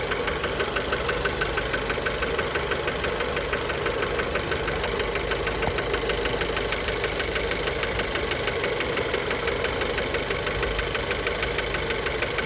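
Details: Fiat Bravo 2, 1.4 T-Jet 150 HP, 215,000 km, recently serviced, recorded close to the engine at idle: a steady, sharp metallic knock about three times a second. Worn rod bearing knock; cause unknown, car scrapped.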